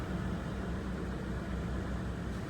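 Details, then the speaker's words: 2003 Ford Expedition 4.6L at idle after replacing the cylinder 2 coil pack for a P0302 misfire code, with codes cleared. A steady, even low rumble with no stumble; the misfire is no longer felt and the rescan shows no codes. "if I fill it definitely there's a change I don't feel that like I felt it before before it was pretty obvious"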